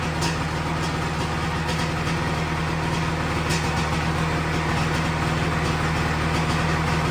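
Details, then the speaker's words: 1997 Sea-Doo XP 800 two-stroke, revived after years sitting with rebuilt carbs, after carb adjustment: fairly even quick idle burble about three and a half beats a second, no misses, no heavy white smoke; close to normal running. "That was much closer to running normal."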